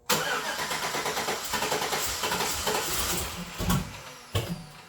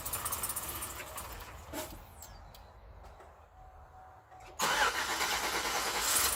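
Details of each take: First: 2008 Chevrolet Suburban, new engine, early start attempts: ragged cranking with uneven firing and sharp pops as it backfires through the stock throttle body; plug wire order and ignition system suspected. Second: 2008 Chevrolet Suburban, first start of newly installed engine after 5 or 6 tries: engine catches and settles into a steady, even idle with no knocks or misses; running fine.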